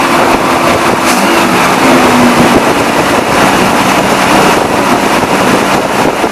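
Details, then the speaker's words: 1978 Dodge Warlock truck V8 after draining old fuel and adding fresh gas, restarted once carburettor bowls filled: steady, even idle with no misses or knocks; healthy normal idle. "fire right up idle great once it filled up the bowls man it sounded real good"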